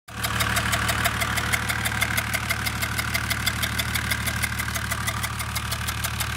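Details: Mercedes OM606 diesel on a test run: a sharp regular tapping about three times a second at idle, traced to the cylinder 3 intake valve, where one intake port wall is black. A stuck hydraulic lifter is suspected.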